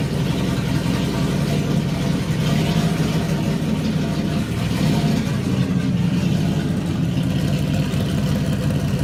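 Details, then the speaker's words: Fox Body 302 V8 build, first start with turbo off, after advancing distributor timing clockwise: steady even V8 idle with smooth low rumble, no ticking or stumbling; still may need slight timing adjustment. "to get it to idle right and it still needs a little bit more adjustment probably but like that it would idle and run and it sounded good"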